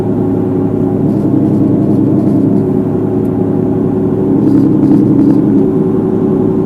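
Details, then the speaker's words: 2006 Jeep Grand Cherokee 4.7 on a road test at about 80–90 km/h: constant low hum and drone with no rhythm change; sounds like the left front wheel bearing coming apart. Cause suspected, not confirmed. "sounds like the left front wheel bearing is coming apart"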